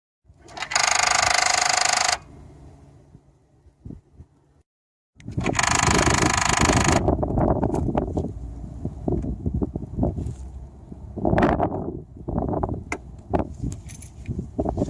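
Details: 2011 BMW 535i xDrive F10, N55 engine, running: uneven, rapid metallic rattling with two loud rushing bursts near the start; attributed to the Valvetronic servo, not confirmed.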